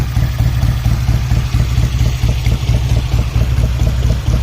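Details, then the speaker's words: 1970 BSA Thunderbolt 650 twin, started first kick during work on burnt-out wiring, petrol on both taps and tickled: steady, even low thump at idle, about two beats a second, no knocks or misses; normal idle. "That sounds nice. [Music] Dead shape. Well, first kick still amazing me. There she is. Ready to go."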